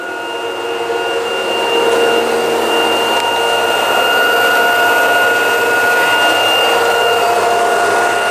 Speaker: Всё шикарно работает. Это сливной шланг стучал по корпусу.